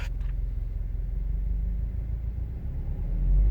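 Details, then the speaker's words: 2017-2018 Subaru WRX STI, tuned: low, uneven rumbling rattle under the car, about three or four shudders a second, when pulling away at low speed, felt through the whole rear; drivetrain rattle, cause unclear. "so I've got drivetrain rattle when I take off at low speed right not loading up in the wrong gear but just taking off like the whole back of the car goes where I like"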